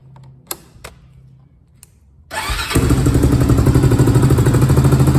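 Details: 2001 Honda TRX400EX ATV, customer reported a mid-range bog and a loose chain: after chain adjustment and new sprocket bolts, a few clicks, then the single-cylinder engine catches and settles into a steady, even, healthy idle.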